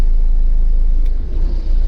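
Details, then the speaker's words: Van fitted with a STOP MY ENGINE Bluetooth immobiliser cutting the fuel pump's positive feed, phone out of range: engine rumbles briefly, then the beat falters and sags within a second or two, stalling from fuel starvation as designed. "and it stalls because doesn't get the fueling"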